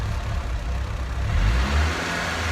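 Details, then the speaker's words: Nissan S15, idling after installing a GKTech eccentric throttle wheel, not yet driven: low rumbling idle that sags and surges unevenly; idle needs adjusting via the throttle cable, owner suspects a past issue with the car. "you can hear it there. So it'll need to be played with a bit and get it all adjusted"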